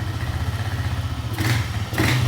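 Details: Honda CG 125 after full engine rebuild for top-end/camshaft noise, with new rocker arm and a missing washer on the pin fitted so valves could be adjusted: small single ticks over evenly, light steady patter, no top-end clatter, revs cleanly; valve train healthy.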